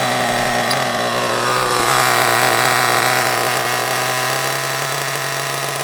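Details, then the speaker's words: Hobao Hyper ST nitro truggy with a glow plug fitted, just after first start: a high, buzzy note holds steady, swells briefly, then settles, suggesting intermittent lean running. Owner suspects a fuel tank issue and plans to fit a new tank. "I think there's a bit of an issue with the tank I think I'll definitely put that new tank on because what I've noticed is it'll run absolutely fine for a bit and then it'll start to sort of go"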